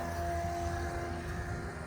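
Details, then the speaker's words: MK1 Ford Transit diesel, new replacement fuel pump plumbed into the factory line on a relay: steady quiet motor hum with faint whine, no surging; flows well, much better than the old weak-trickle pump. "And this pump's fairly quiet. Get my stuff together. So I don't know if you can hear it. Really not that loud."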